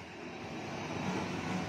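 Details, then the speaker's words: Scooter engine running with a loud, steady, rough roar and dense low rumble, no single clear knock; mechanic says such tank-like noise means a pitted camshaft, with worn valves also mentioned; cause unconfirmed. "Nó kêu phải như xe tăng thì bị rỗ cam"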